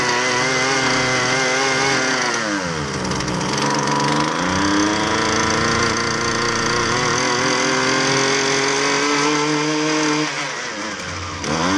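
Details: Husqvarna 128LD two-stroke string trimmer with edger attachment, which only runs on half choke; air filter fair, fuel tank clean: revs sag hard around three seconds, recover, then hunt unevenly. Lean running from fuel starvation.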